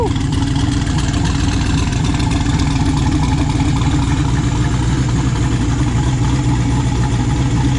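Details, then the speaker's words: Chevy S10 with a freshly built 408 stroker LS V8, with good oil pressure: a deep, steady idle burble with even firing and no ticking or knocking, a quiet, smooth, healthy engine. "everything sounds good it sounds quiet engine sounds smooth"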